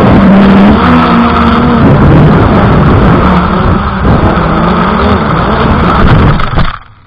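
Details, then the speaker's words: F100 Ghost drone flying in snow and cold: thin high beep repeating over loud propeller roar; warning, cause unknown, possibly cold, snow or dying battery. "Can you hear the beeping? So this thing started beeping right away. Not sure if it's the snow, if it's the cold, or maybe the battery is dying right now."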